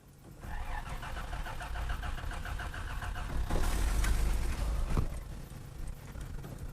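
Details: 1986 Toyota Land Cruiser FJ60, carbureted, after sitting; cranking with choke on then off, even starter turning that never fires. Trash seen in the fuel, and water was found in the fuel filter; crank no start from water in fuel.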